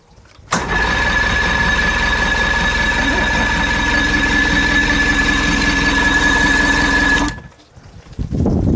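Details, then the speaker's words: Old fishing boat outboard, de-winterized in spring with water supply and pressurized fuel line hooked up: catches almost immediately after a brief crank, then settles into a smooth, even drone until shutdown. Fires up consistently and runs cleanly. "The boat is running, the motor fired up consistently over and over again."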